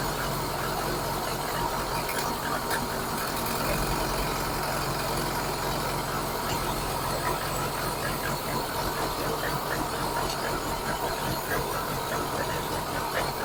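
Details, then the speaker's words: VAZ 099 fuel-injected engine idling, hard to keep at idle when cold: uneven, stumbling beat with exhaust puffing; rough misfiring idle with weak spark on cylinder four, HT leads already replaced, coil replacement to be tried. "Яка робота троїть пердить"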